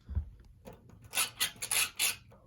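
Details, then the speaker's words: Lakewood fan (S-223 vs P-223 comparison) with its switch being worked: four or five short, dry, high-pitched scratchy squeaks in quick succession. The switch squeaks, noted as a con of the fan. "another con is to switch squeak which this man also has"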